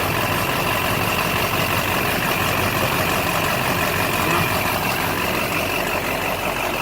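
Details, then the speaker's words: LB7 Duramax diesel after fuel filter head delete, still cold: even, steady diesel clatter at idle, no stumbles or surging; runs good with little fuel restriction. "It runs good, obviously. Fuel there's very little restriction. it fires up like a brand new truck, like an LLY or something."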